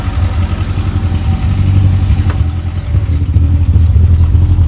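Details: Rover 416 GTi, previous non-runner that had cut out, first start after a part was fitted: uneven, lumpy idle with irregular low thumps, sounds misfirey; cause not confirmed.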